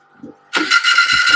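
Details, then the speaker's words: Marcos Ford Crossflow engine on the dyno (Kent 224 cam, twin 40 DCOEs, modified head), cold start on gravity feed with a new mechanical pump: fires instantly into a steady, even 900 rpm idle with no stumble. "She's live. 900 RPM idle. What more do you want? Right, she's running."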